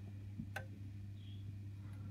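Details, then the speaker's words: Honeywell programmer controlling boiler heating system: single crisp click as heating channel switches off; relay switching properly, though programmer can power only one relay at a time. Normal relay click. "I heard a click and I actually had to clicks that one's probably just clicked on now so if you listen now and I turn this off you'll hear a nice click"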